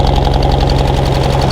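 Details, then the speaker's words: Engine with coolant issue, antifreeze smoke from exhaust; lumpy uneven idle with recurring stumble, previously missing on two cylinders, now missing on one. Finding: misfire at idle. "Missing on two before, now it's only missing on one."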